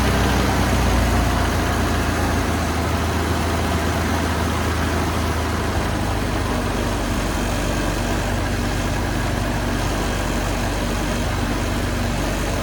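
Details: 1974 Toyota Celica with 18RG engine after a new water pump and thermostat and a block flush, replacing a seized pump that squealed: steady, even low rumble with no squeal or rattle over the whole run; normal idle.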